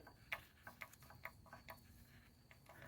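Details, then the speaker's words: 1985 Mercedes 300SD diesel (OM617), about 100,000 miles, valve cover off, chain very tight: light sharp ticks about twice a second over quiet idle from the chain tensioner moving in and out as it fills with oil; normal. "that's the chain tensioner you can see there you can see it right there see it moving in and out those are uh they fill with oil once the system is pressurized"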